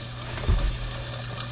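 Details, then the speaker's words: Dishwasher after repair: steady hiss of water flowing in over low hum, even and uninterrupted; filling normally, valve and pipe below holding with no leaks. "all right he's doing his thing we hear it all right and that means know that moving okay well it's clearly working we rolling I hear the water"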